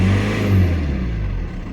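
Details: VW Passat B6 1.9 PD TDI diesel, 2006, 318,000 km, previously starting only in 1st gear due to underhood wiring fault; after repair: deep rumble swelling on a blip and settling smoothly, no rattles or stumbles; engine healthy.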